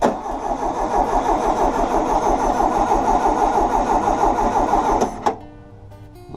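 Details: 1600cc dual-port engine in a 1979 VW Super Beetle during a compression test: even starter cranking at about three beats a second, each stroke alike; cylinders read about 123-127, and the plugs look slightly rich.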